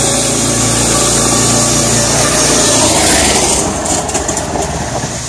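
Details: Small single-cylinder gas engine on an electric-to-gas golf cart conversion, just rope-started with choke: quick, steady beat, then easing off; runs evenly with no knocks or misses.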